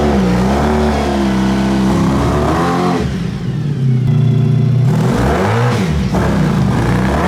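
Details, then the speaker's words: Honda VF1000 V4-powered buggy, driven to check regained power: strong, clean revving climbing and falling smoothly through the gears with no stumble; owner thinks it runs on all 4 cylinders but isn't sure. "I don't know, it seems to be running better. It's running better. It seems to be stronger. It sounds like it's running on all 4 cylinders, but I'm not entirely sure. But it sounds a lot better."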